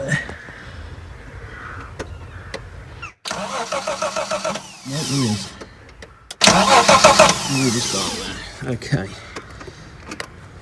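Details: Ford Sierra Mk1 Estate 4x4 Ghia 2.8i, spark confirmed at king lead: two spells of rhythmic cranking that never catch; cranks, won't fire; owner spraying brake clean behind the throttle flap, cause unconfirmed.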